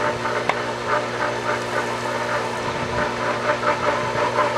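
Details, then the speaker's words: Pool pump at 2017 season opening, just started after installing the sight glass and cover: steady motor hum with uneven splashy rushing and no smooth flow yet; pump running dry before catching prime. "I'm not sure if I see water. It was pulling some before. It was, yeah. We'll just wait a minute."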